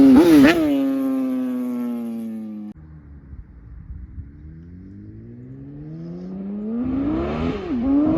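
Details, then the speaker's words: Kawasaki ZX-10 roll-race sportbike on its first test ride: revs climb hard, drop off, then pull again with ragged popping on the throttle, spitting under acceleration; owner suspects spark plugs or tune-up, possibly fuel related, unconfirmed. "Yeah, definitely. Hear the spitting. Yes, baby. >> Only thing I don't like is how hard it's spitting."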